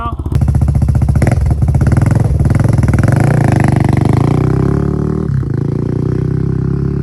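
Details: Honda 400EX single-cylinder ATV after crankshaft replacement for a locked-up engine, test ride revving up through the gears; sharp, loud blatting each firing pulse from a broken exhaust header leaking pretty badly; shifts smoothly, new header needed.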